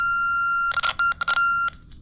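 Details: Puch E50 engine in JC Penney Pinto moped, rebuilt carb, timing tester across points to ground: steady high-pitched tone with short breaks instead of switching on and off; points circuit possibly shorted, suspected.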